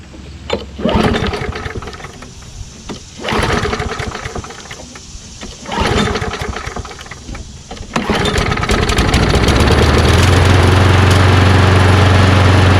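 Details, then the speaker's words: Push lawn mower, small single-cylinder engine, restarted after the carburetor bowl was cleaned (fault thought to be mostly gas in the tank): cranks a few times, catches and settles into a steady, even buzz with no stumbling or knocking. Running normally. "sounds really good huh"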